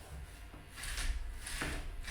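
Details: Robot wheel's small plastic gearbox, wheel stalled against the ground: low buzzing motor with gritty ratcheting bursts about every half second as the load builds; partly stripped gear teeth skipping.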